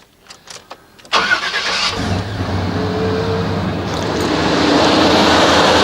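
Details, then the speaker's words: 1989 Chevy K1500 Silverado fitted with a Denso starter; brief quick starter whir, then the engine catches cleanly and settles into a smooth, even idle; owner says it sounds like a Japanese car's start rather than a Chevy's; normal cranking and start. "This no longer sounds like a Chevrolet anymore. When it starts up, it kind of sounds like a Jap car."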